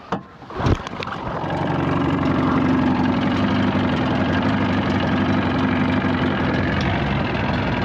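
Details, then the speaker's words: 1979 Evinrude 35hp outboard, freshly started (pops right off) with the air box left off, after adjustments. A brief start-up burst settles into a steady, even putter with no misses at no-wake speed; runs a little smoother than before. "no wake speed does run a little smoother with some of the adjust ments I made which is nice"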